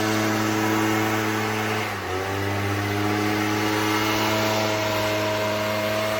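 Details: Echo PB-403T two-stroke backpack leaf blower that had sat for years, ran only on half choke and wouldn't rev, after service: steady buzz that dips briefly then holds even revs without missing; running cleanly.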